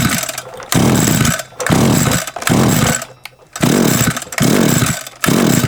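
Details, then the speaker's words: SGS Engineering 26cc two-stroke strimmer with its plug refitted and switch on: short bursts of firing, a few per pull, that die each time; it coughs but won't keep running, and the owner suspects a wiring issue despite a good spark. "it coughed a couple times in something tells me might be a bit of a wiring issue somewhere"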